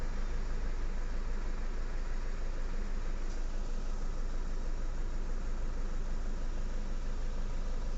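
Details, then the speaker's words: Toyota Fortuner diesel, knocking and pickup problem: rough idle with heavy steady knock about three times a second; scanner shows injector circuit open, traced to broken injector wiring; one injector not firing. "Start कर दिया friends ठीक है engine जैसे knocking कर ना वैसा है"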